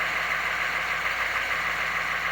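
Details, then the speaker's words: Banks Sidewinder 6.2 turbo diesel after glow plug swap and downpipe wrap, started on factory glow timer at 74°F, afterglow active: steady, even diesel clatter with fast regular tick, no misses, no smoke, no double cycle; normal idle. "afterglow was hitting everything started up no double cycle successful"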